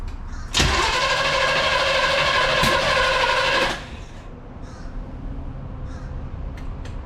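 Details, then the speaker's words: 1969 Chevrolet Impala, not run in 20 years, new distributor cap and plug wires, number 1 at top dead center: about three seconds of even cranking, no firing; cranks but won't start, timing/plug order suspected off. "That means timing's wrong. Yeah. Go for it. The timing's off."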